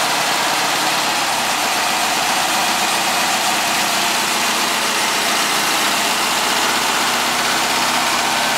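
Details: Air-cooled VW flat-four, started slightly cold, after sealing an exhaust leak near the #2 exhaust port with silicone and adding a baffle. Steady idle with a dense, even hiss and no puffing or ticking: normal idle.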